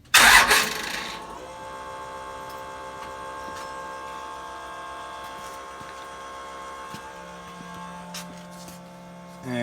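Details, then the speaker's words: Second-gen Dodge with a FASS fuel pump: a brief starter bump, then the lift pump runs with a steady, even electric hum for about 30 seconds, as designed. A normal lift pump run. "so on the second gen dodges uh when you turn the key to the on position the the the the fuel pump will come on for a brief second you can hear and then if you bump the starter if you bump the starter the fuel pump will run uh for about 30 seconds or"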